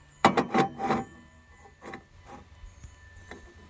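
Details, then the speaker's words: Dodge Durango water pump removed, its shaft spun by hand: short dry, gritty rasps as the worn bearing skips; the seal behind the impeller also failed, with gasket pitting, corrosion and calcium on a suspected junkyard-pull pump. "You hear that? That bearing is skipping. So that seal in behind the impeller also failed."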